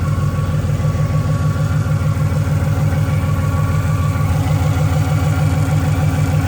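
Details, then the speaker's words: Ford Mustang Boss 302, naturally aspirated: a steady high whistle over a smooth V8 idle, sounding like boost. A stethoscope showed the front pulleys are fine and located it at the driver's side bell housing. Clutch or flywheel is suspected, not confirmed. "we just uh diagnosed somewhat what the whistling is it's it's not coming from the front end of my car at all none of the pulley everything sounds fine there"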